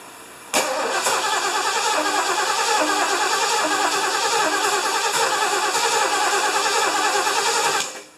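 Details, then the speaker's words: 1975 Lincoln, first start after reassembly, carburetor primed, vacuum lines plugged, hot shop: long steady cranking, about three beats a second, never catching; hard to start, owner unsure about choke, ignition timing believed off. "I didn't think it'd be this hard to start I don't know if it wants to choke or not timings are a little more"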